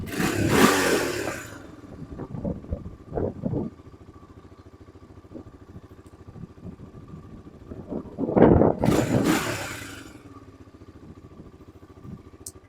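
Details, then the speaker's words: 2002 Honda TRX300EX single-cylinder quad, choke off after gas drained and refilled; starts, blips twice and settles to a steady even idle with clean returns; sounds as clean as when the owner got it. "Sounds just like it was sounding when I got her. Real clean."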